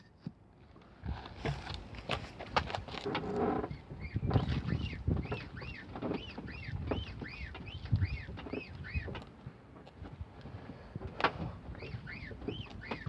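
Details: Mercedes-Benz 190E: a steady run of short rising squeaks about twice a second over a low rumble, seemingly from the front left wheel. The owner suspects the lower balljoint; unconfirmed.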